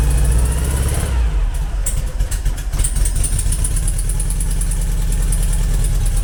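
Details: Engine start after modifying the Weber IDF carburettor idle jets against blocking and adding a manifold vacuum take-off for the brake servo: the starter whirs briefly, then it fires into a steady, even idle with a deep regular exhaust beat.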